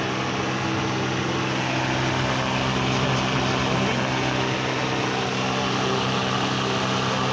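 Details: 1989 Mazda 323 (BF) with ignition key off: steady, unbroken whirring hum as the radiator cooling fan stays running when it should stop; cause suspected, not confirmed.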